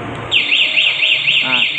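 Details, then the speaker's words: ECO 9 remote anti-theft system on a motorcycle: pressing the locked-padlock button kills the running engine and triggers a loud electronic siren sweeping up and down about four times a second; remote engine kill with alarm. "kalau dimatikan, kalau dimatikan pakai ini ya, gembok kunci ini dia akan bunyi sirene motor mati dan bunyi sirene."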